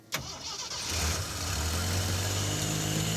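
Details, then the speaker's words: 4x4 AMC Pacer project car, first start: sharp crank, catches within a second and settles to a smooth steady idle, idling down as it should; normal start and idle. "yeah and it's idling down as it should will it take throttle"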